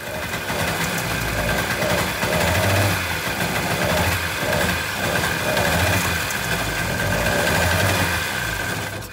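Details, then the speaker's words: Seadoo XP two-stroke firing up after a no-spark fault, likely a poor ignition connection that was rebolted. It runs a little boggy at first, then a steady buzzy note with no misses; it is running properly. "he ran a little boggy at first but after it started to run really well"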